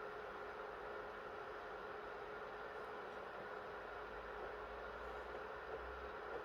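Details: PS3 after NEC/TOKIN capacitor repair, previously shutting down on PS2 Classics and The Last of Us, with temps kept below 65 degrees: quiet steady airy whoosh with faint constant hum, same pitch, no rattle or surging; fan healthy.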